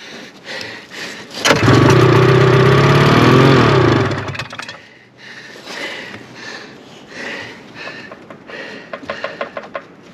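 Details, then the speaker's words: 1974 Arctic Cat Lynx snowmobile with a fan-cooled 340, sat outdoors 5 years with old gas, pull-started in the cold snow on brake cleaner and choke: a few pulls, then a loud ragged run for about two seconds before it stalls. "oh there she goes hot damn here's some more juice come on baby"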